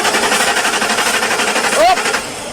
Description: This 2006 Ford expedition crank but no Start issue.